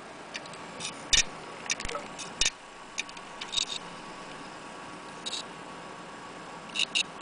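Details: Laptop hard drive not read or recognized: sharp dry clicks at uneven intervals, sometimes in quick pairs, over faint hiss; failing drive head clicking, click of death.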